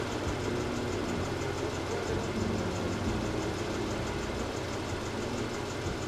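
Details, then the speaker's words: 1986 Oldsmobile Toronado V8 on its stock exhaust, microphone clipped near the tailpipe: even, steady low rumble with no misses or knocks. Normal running. "I hope that sounded good. Like, mind you, this is a stock exhaust. It's not going to sound too great,"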